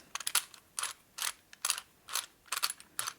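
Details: 1961 Harley-Davidson XLCH Sportster oil pump during engine rebuild, cleaned and reamed, turned by hand on the bench: slow uneven ratcheting clicks about once a second as the gears catch and bind at a high spot, still fitting themselves in.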